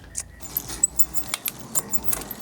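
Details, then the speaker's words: Light metallic chain ticking with crisp clicks as a cheap mountain bike on a stand shifts smoothly through all gears, after the rear derailleur cable tension was adjusted; normal gear shifting. "that's good going through all the gears I think that's looking pretty good"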